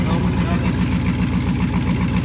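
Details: 2001 Trans Am WS6 with manual transmission, first start after a Racetronix fuel pump install: steady, even idle pulse at roughly seven beats a second with no skips or knocks; engine sounds healthy.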